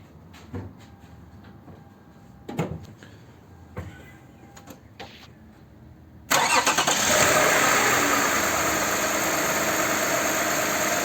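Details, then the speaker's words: Lexus RX350 V6 (Toyota) after VVT-i phaser (cam coupler) repair, engine had rattled at start because the lock pin did not hold the coupler; after about 20 minutes cooling, cold start gives quiet clicks then an even, steady idle with no rattle. "сейчас уже вот минут 20 она стоит до этого мы несколько раз остужали заводили пробовали все она уже не тарахтит"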